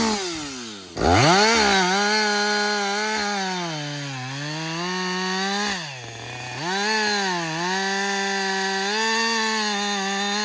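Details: Husqvarna 562XP two-stroke chainsaw after a shop software reflash for dying when hot and stumbling: a high scream dips as it bites into wood and recovers cleanly between cuts. Pulls strongly under load on its first full tank.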